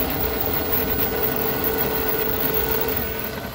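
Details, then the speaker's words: 1998 Club Car DS golf cart transaxle: mid-pitched whine over the hum, loudest coasting or between loads, fading under hard acceleration or deceleration; dry motor-to-differential spline, silicone applied to the splines. "all right do you notice the sound it comes and goes If you're sort of in a no load situation it's really noisy if you're if you're hard on it taking accelerating or decelerating you don't hear it so much but when you're in between a load that's when it's the noisiest"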